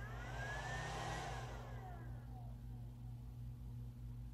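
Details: MidNite Solar Classic charge controller restarting after firmware update: cooling fan whir drops in pitch and settles into a low steady hum, without the fast rattling it had at first power-up; the update now regulates fan speed normally.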